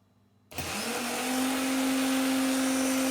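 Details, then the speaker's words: 20-year-old Watchdog-branded Generac 15,000 W standby generator (model 0053820), which was blowing its 15 A board fuse. Bench-run starter (0E4271) hums with a rough, gritty whir and sags slow: 36 A (max 50), about 2,800 RPM against a 4,500 minimum. Worn bearings heard, though the solenoid is still suspected. "And the starter, the bearings don't sound very good either. So, yeah, maybe it's actually a starter problem."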